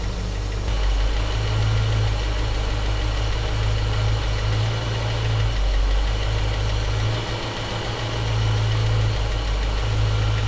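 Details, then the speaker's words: Panel truck small-block Chevy with Sanderson headers, warmed up, timing set about 12° BTDC: slow, steady, even low rumble near 650 rpm with no knocks or misses. Normal healthy idle. "I'm calling that 12 degrees before top dead center, and that is a good number. It's a good baseline number. We're gonna roll with that, and we are looking right about 650 RPM."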